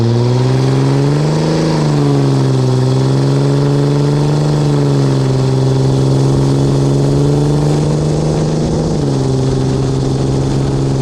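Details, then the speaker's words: 2004 Dodge Ram 5.9 Cummins diesel on a test drive with a new MBRP S6104P exhaust, GoPro near the exhaust, under load: a deep, smooth tone rises and falls with throttle, even pulses, no rattles or leaks. Normal exhaust note. "All right, we'll go for a little test drive. I got my GoPro right near the exhaust, so we'll hear it on under load."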